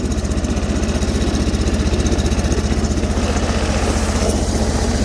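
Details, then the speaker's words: Sears Suburban snowblower with 20HP Briggs V-twin, cold in snow, running on crankcase fuel: lumpy, jerky loping beat about four thumps a second, running on one cylinder. "sounds like a one cylinder i don't want to blow her up so i don't want to run her too long like this"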